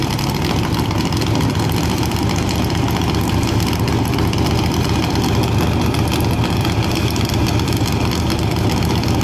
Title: CMEGO launch with misfiring